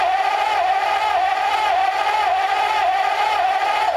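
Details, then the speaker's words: Engine on a newly built run stand, improvised carb, running only on primed fuel: catches and holds a wavering, rough mid-pitch drone for a few seconds before running out of fuel; heavy soot. "And it's out of juice. I think we're out of fuel. It idled for like a second."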